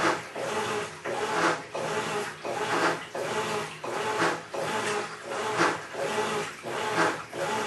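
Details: Maytag Centennial Commercial Technology washer, about 14 months old, just past one-year warranty, overloaded for demo: harsh rasping grind like a cement mixer churning gravel swells and fades with each agitator stroke, about every three-quarters of a second, during wash agitation.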